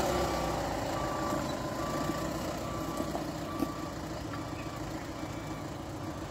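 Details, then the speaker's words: Mahindra Bolero pickup after brake pad replacement, test drive: truck rolls and slows with only road and engine noise, no squeal or grinding; earlier brake noise gone, braking quiet and fine. "अब break कैसे लग रहे हैं? अब अच्छा लग रहा है। यह सही है, है ना? आवाज बंद हो गई है और ब्रेक भी ठीक लग रहे हैं।"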